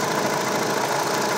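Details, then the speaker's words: Hyundai Tucson CRDi diesel at idle with A/C on: dry, busy rattle over the idle that is worse under compressor load; worn auto belt tensioner, to be replaced along with the belt. "So ang lakas ng alog niya. So pagka hindi naka-aircon hindi gaano syempre pagka naka-aircon malakas yung ah pump ng compressor kaya malakas yung load niya."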